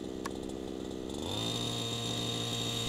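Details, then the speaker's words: Gas model helicopter engine at the flying field, low-speed needle turned back in to the good setting: idle picks up in speed as less fuel is fed, then holds a steady, clean, even note with no stumbling; normal idle. "you can hear the idle pickup that is very typical when you turn in the low speed screw you're decreasing the amount of fuel decreasing the amount of fuel leaving it out causes the engine to run just a little bit faster"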